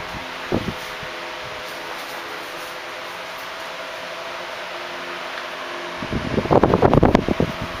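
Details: 1976 Electrohome 30 cm (12-inch) desk fan, four clear blue pitched blades, on high speed: strong steady whir with no rattle or scrape, motor running fast and healthy.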